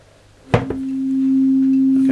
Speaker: nice signal waggle waggle waggle look at that completely fixed